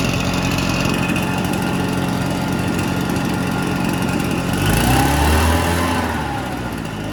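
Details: Salvaged Red Max EBZ7100 two-stroke backpack blower after fuel-line replacement and carburetor repair, just started on starting fluid on a cold spring day. It buzzes smooth and even, picks up cleanly on throttle and settles back, running healthy.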